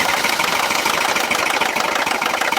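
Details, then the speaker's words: Mercedes M276 engine right after start-up: fast, hard metallic chatter over idle from worn camshaft adjusters; may or may not set a timing-related check engine light, and if bad can damage the camshaft. "so number two is the cam shaft adjuster so a lot of times when you first start up that engine it rattles like"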